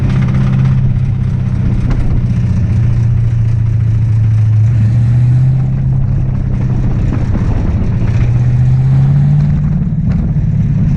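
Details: Ford Mustang V8 at a Sebring Raceway track day, halfway through the event: a deep rumble that idles then picks up, with an uneven knock underneath. Rod knock from destroyed rod bearings.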